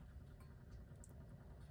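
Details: 1960s Lux calendar electric wall clock, after reseating its motor: soft, steady low hum with no clicks, rattles or wavering; the small synchronous motor runs smoothly and evenly.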